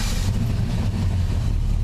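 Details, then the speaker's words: 1983 Chevy C10 started after an alternator voltage regulator repair, running after a drained battery: loud, deep V8 rumble with a rapid raw puffing edge from a known exhaust leak under the driver's door. "it's got a loud exhaust leak right underneath the driver's door so might be too loud for you but we'll see what happens"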